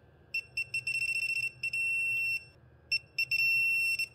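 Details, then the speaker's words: Audi A3 8L with a suspected gearbox fault during clutch work; torque wrench set to 20 Nm tightening the M10 pressure plate bolts crosswise; quick high beeps into a long steady tone twice as torque is reached. "Die 20 Newtonmeter sind eingestellt und damit gehen wir jetzt oben auf die Druckplatte."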